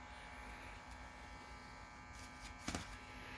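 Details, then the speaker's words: Optoma HD26 DLP projector after repair of loose, curled foam under the color wheel: soft, even whir and faint hum with no squealing, chirping, rubbing or rattle; color wheel spinning normally. "okay we got our read standby light and I should hit the power button we should hear the color wheel spin up and it should be happy"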